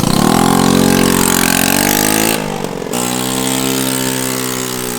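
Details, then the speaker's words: Small single-cylinder bike running lumpy and loud with a rough chuffing, bubbling edge after the exhaust was refitted. Exhaust escaping at a joint; it leaks badly. "Let's see if it still sounds like bubbles. Ignition was left on. Oh boy. Is there a kickstart? Ooh! It leaks so bad."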